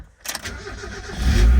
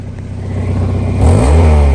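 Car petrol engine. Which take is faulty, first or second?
second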